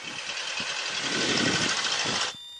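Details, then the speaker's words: Aircraft engine run-up before flight: a smooth, even roar builds for about two seconds, then drops back with no roughness or stumble. The engine runs well. "runs magnificent it's running quite well actually"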